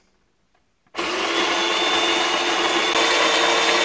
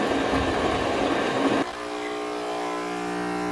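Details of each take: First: Home espresso machine after gasket repair for a leak and flow-meter fix for false water-level warning, system primed: pump starts abruptly and holds a steady buzzing hum with faint even pulsing, no sputter; brewing normally, no leaks, flow meter working. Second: Home espresso machine after reassembly, pump running: harsh buzzing rattle for a second and a half, then steady drone, louder when pressed; high-pressure hose vibrating against cover; hose vibration rattle.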